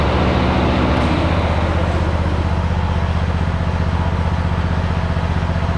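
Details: Hustler Raptor SD 54" zero-turn mower with Kohler engine at about 100 hours, cold start after a couple of days unused. Steady low, even thrum with regular firing pulses at idle. No knocks or misses, so it runs smoothly and normally.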